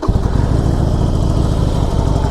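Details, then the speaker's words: Harley-Davidson Forty-Eight Sportster V-twin idling: deep loping thump with light clickety-clackety mechanical clatter on top, which owner says all Sportsters do; characteristic of the bike, normal valvetrain clatter. "as you hear oh the clickety clackety of the motor but if you've been around Sportsters you know they all do it it's just characteristic of the bike doesn't bother me"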